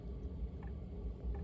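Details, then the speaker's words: Diesel heater fuel pump in a Chevy Express camper van priming during first test startup, heard near the pump: faint soft ticks about every 0.7 seconds over a quiet hum, slow clicking as it should; normal fuel pump priming. "And if you listen over here, you can hear the pump. It's clicking slowly."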